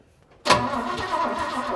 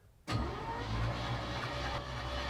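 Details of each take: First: 1968 Chevy C20 pickup, 307 V8, parked 30+ years in a barn, new plugs and fresh fuel, carb float sticking: silence then sudden catch into rough, uneven raspy run once mechanical fuel pump began working; runs poorly after storage. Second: 1968 Chevy C20 pickup with a 307 V8, parked 30 years in a barn and fitted with a new battery, is cranked with the clutch in. After a click, the starter spins it at a steady, even whir with no binding or grinding.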